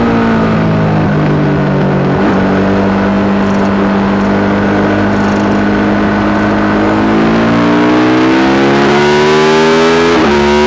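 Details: Yamaha YZ450 single in a supermono race bike revving up and down under load with a slightly ragged, uneven beat. Constant misfire worsening after a couple of laps; carb, fuel tank, filter, breathers, ignition, coil, generator changed without cure.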